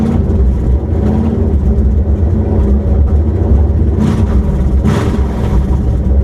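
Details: Ford Crown Victoria 4.6 DOHC with low compression, after a replacement ECU was installed. An even, smooth idle with quick, clean throttle blips that rise and settle without stumbling; normal running.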